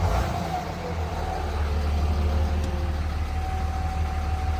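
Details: 3rd gen Ram Cummins diesel idling, faint steady constant-pitch howl above the clatter, same on hot or cold days; owner first suspected turbo or fan clutch, traced with stethoscope to a bad alternator bearing.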